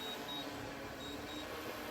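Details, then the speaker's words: Agricultural survey drone returning on low batteries after just under 20 minutes of flight; the remote controller gives short, high, thin paired beeps about every second over faint hum. Low-battery warning beeps. "five flat lines left in this field and the batteries are too low so it's coming back then we swap the batteries out and as you can hear the controller beeps at you when the batteries are dead"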